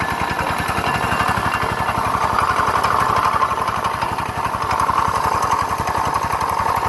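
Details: GY6 scooter engine: a rapid, coarse chatter and gritty grind over the firing pulses when running and on throttle; it accelerates slowly, cuts off, then clanks and won't start; variator or crank bearing suspected.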